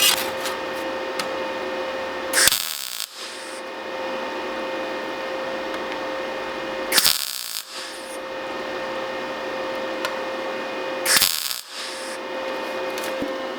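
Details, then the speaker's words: MIG tack welding on thin sheet (half of 1.6 mm) overhanging the table, machine at recommended 1.6 mm settings: three short, sharp crackling bursts. Brief trigger time gives flat tacks with full penetration. "Right, so that is settings for twice the thickness. You can hear I'm on the trigger for a lot less time, and you can see that the tack itself isn't crowned up and it's completely gone all the way through to the other side."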